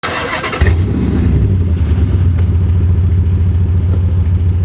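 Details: Chrysler 300C Hemi (LX platform) with a broken flex pipe exhaust leak: the engine catches and settles into a loud, deep chuffing rumble with uneven pulses.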